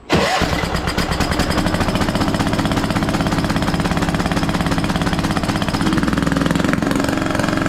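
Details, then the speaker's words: Scrapyard Craftsman T1200 riding mower, first start on old gas with a substitute spark plug: small engine settles into uneven gurgling, choppy idle, compression seeming very high; owner may check valves. "good gravy this engine sounds funky I've never heard one of these run before it has like a gurgly sound to it that is crazy crazy compression just seems so high on this thing may end up just checking the valves on this too"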